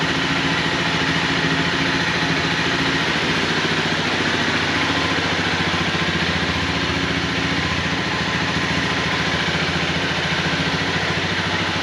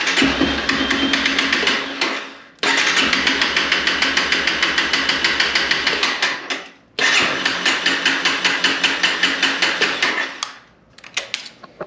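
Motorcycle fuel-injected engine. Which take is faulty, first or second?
second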